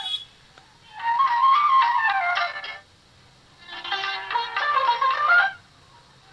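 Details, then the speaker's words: Philips DR454 2-in-1 tape recorder, cassette playback: flute music swells then drops almost to silence twice in six seconds; audio fading in and out because the cassette was kept near a speaker magnet, damaging the tape. "आवाज क्या है? आ रही है और जा रही है। ये हुआ क्या है? यह किसी स्पीकर वगैरह के पास मैगनेट के पास हमने कैसेट रख दिया है। जिसकी वजह से क्या हमारी इसकी ऑडियो खराब हो चुकी है।"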